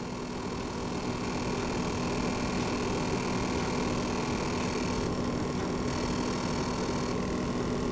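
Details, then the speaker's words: Launch-day PS5 running F1 24 in 120 fps performance mode: a faint, steady electric buzz at a fixed pitch under a quiet fan. Coil whine, louder in the pause menu and gone on the home screen. "let's just check it out when we start a game again you can probably hear that electric buzzing coil wine noise"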